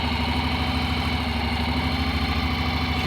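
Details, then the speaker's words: Honda NC750X DCT motorcycle, not started for a few days, with fresh oil: smooth, even idle throb with no tapping or clatter from the top end; valves quiet, healthy. "cichutko zaworów nie słychać"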